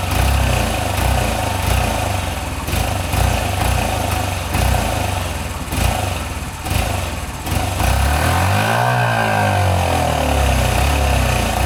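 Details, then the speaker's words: 1983 Honda CF70 Chaly off the road for 35 years, running on sprayed fuel with no working carb: ragged popping single that surges and sags, revs dipping and climbing as fuel is sprayed in; it keeps running. "We've got it started, that's the main thing. It runs, the back wheel spun, which means the clutch seems to be okay"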